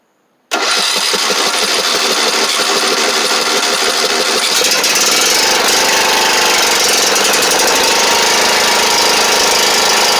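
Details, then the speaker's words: Riding lawn mower on a new SGFYO U1 12V 23Ah AGM battery (rated 280 CCA, tested 432 CCA): brief strong crank catches almost at once and settles into a steady, even idle; normal start. "So as you can see, cranked it right up."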